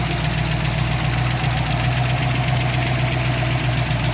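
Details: 302 V8 at idle: a quick, somewhat uneven tick at about four per second over a steady low rumble, a suspected lifter or valvetrain tick.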